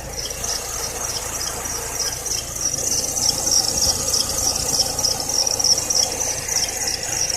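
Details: Serpentine belt squeal at idle: continuous high thin squeal over low idle; tightening or loosening didn't help, replacing the belt cured it, though the AC compressor, whose bearing was later replaced, may also have whistled.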